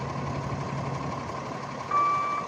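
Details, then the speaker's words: 2016 Kenworth T370 box truck, Paccar PX9 (Cummins ISL) 8.9 L diesel, Allison 3000HS 6-speed automatic, 226k miles: quiet idle, then a half-second high beep from the backup alarm as reverse engages (brake must be pressed to engage gear). "Now he's in gear. These automatics, you got to step on the brake to get them in gear, and you don't get it stepped on right away. It sometimes doesn't engage. Goes forward and reverse,"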